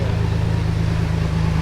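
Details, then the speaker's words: Custom Jeep TJ Brute build, muffler removed: deep, loud, evenly pulsing rumble at steady idle with no muffled edge; loud exhaust idle because muffler is off. "We have the muffler off, so it's loud. I like that. Might have to leave it like that. That sounds pretty good."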